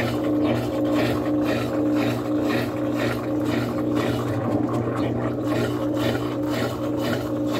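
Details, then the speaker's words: Top-load washing machine on spin cycle: basket stopped, only agitator turning, churning back and forth about twice a second instead of winding up. Technician suspects shift actuator, possibly burned. "não sei se vocês conseguem ver claramente as distâncias eu vou aproximar para você ver agora o sexto tá parado só tá girando isso aqui"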